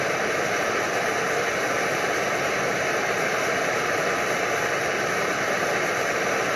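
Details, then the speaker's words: Older early-model Primus Omnifuel pressure stove burner on liquid fuel, single fuel valve wide open: loud steady roaring hiss with an uneven low flutter underneath as the burner flares and pulses; burner flutter. "There's that flutter. Now, can this be controlled at all?"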